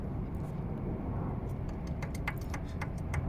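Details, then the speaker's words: 2017 or 2018 Hyundai Santa Fe engine disassembled: light metallic clicks as one noisy cylinder's connecting rod is rocked on the crankshaft, showing spun, worn rod bearing play. "so in between the connecting rod and crankshaft you can hear the play"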